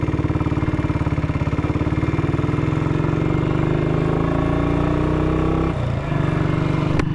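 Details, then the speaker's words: 1959 BSA single on a chilly 7 °C day: uneven thumping at low revs then a sharp bang; backfiring, owner reckons the ignition key had fallen halfway between on and off, tripping out; not confirmed. "So, that was backfiring, and I thought, oh God, Dave, have you put diesel in it? But no, the ignition key had fallen out of the ignition lock, and it was halfway between ignition on and ignition off"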